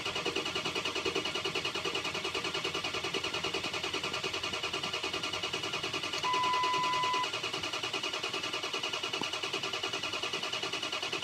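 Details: 2004 6.0 Powerstroke diesel, codes P2290/P2291; ten seconds of steady cranking at about three compressions a second without catching, ICP staying under 400 psi with sync and FICM power. Crank no start from failed high-pressure oil pump.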